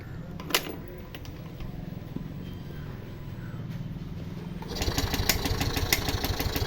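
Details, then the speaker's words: Yamaha Fascino BS6 scooter with injector fault code: starter cranks evenly but the engine never fires; suspected open injector circuit or broken wiring, later traced to a wiring fault at the injector. "Start ആവുന്നില്ല നമുക്കിനി ഇത് ഇൻജക്ടറിന്റെ ഇതുകൂടെ നോക്കിയാലേ പറ്റുള്ളൂ"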